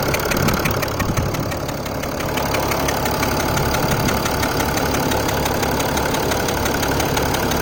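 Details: Mercedes ML350 BlueTec with OM642 turbo diesel: steady idle with a light, fast metallic ticking, about three per second, over the clatter. A mechanic said the noise is normal. Normal diesel injector ticking at idle.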